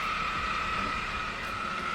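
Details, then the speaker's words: Jeep JK (Wrangler) after thermostat replacement and coolant flush for overheating: constant high-pitched whine over the idling engine, pitch unchanging; water pump pulley checked, owner almost positive it is the idler pulley, a known failure. "Also, you hear that whining sound. Now that I've checked my pulley on my water pump, I'm almost positive that's my idler pulley."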